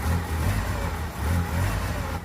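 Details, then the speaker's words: 1999 Mitsubishi Eclipse, first start after CV axle replacement and a long time not running: engine lumpy and uneven, throb wavering then cutting out; rough running, owner suspects old sticky gas. "Yeah, it hasn't run in a long time. Maybe it's just got sticky gas or something"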